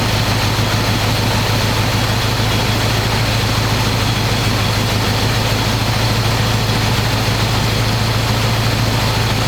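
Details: 1985 square body truck, 454 big block V8, 4-speed, sitting 20 years, fresh oil and filter, after idle screw adjustment: deep, steady rumble, even exhaust beat, no misses or knocks. Normal idle, though owner says it won't idle down.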